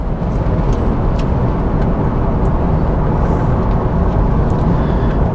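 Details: 2004 Honda Odyssey V6 after repair of multiple misfires that caused bucking and rough idle, driving with AC on: steady, even engine note under road and fan noise, no stumble or shake; running smoothly.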